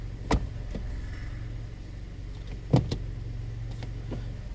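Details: Kia Cerato 1.6 automatic, slightly warmed up, knock absent when cold: steady engine hum with sharp irregular knocks when the transmission is loaded in reverse or drive, less in neutral, near silent in park; not engine, likely a cracked or loose flexplate.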